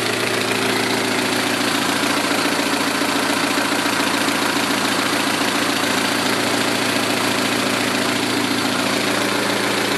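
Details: 2006 Saturn ION Redline with GMR cams and stock hydraulic lifters: fast even ticking, three or four a second, over a steady idle; lifter tick, owner plans solid lifters.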